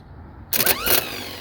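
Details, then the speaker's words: Starter from 1982 MSE Trans Am (Pontiac V8 swapped, long stored in a field) bench-tested via S terminal: short high whir for half a second then stops; starter spins briefly, poor terminal contact, terminals to be cleaned. "So, it seems to work, but then it stops, which is interesting."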